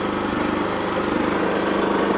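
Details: Wolf generator, bought used with carburettor previously cleaned, running after an oil change and mini service, green light on: steady, even small-engine drone with no misses, surging or knocks; normal running.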